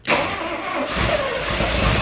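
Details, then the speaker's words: 1968 early Ford Bronco, not run in over ten years, first start after installing FiTech Go Street 400 hp EFI, fresh oil: engine catches almost instantly and settles into a steady strong run, EFI apparently learning and bringing itself down to low idle; healthy start. "oh man I pretty good and changing yourself around I guess it's learning so brought itself down to a low idle"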